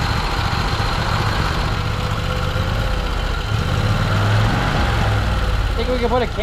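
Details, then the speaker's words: Salvaged ~900 cc big-block propane backup-generator engine converted to gasoline, governor removed, two gaskets added: steady, even low-pitched fast idle that won't idle down, not responding to throttle and using a lot of fuel; high idle from missing governor. "oh thing sucked down a lot of fuel won't idle down"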